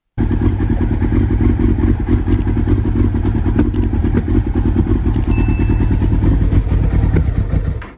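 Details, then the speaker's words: Kawasaki ZX6R G1 first start after electrics were tested, with a little fuel added: four-cylinder fires and runs a fast, uneven, chattery idle for seconds, then dies; owner suspects a gummed carburetor or fuel filter, as it no longer starts. "so of course once I test all the electrics the very next thing I did is I hit the starter put a bit of fuel in hit the starter and the bike did kind of run"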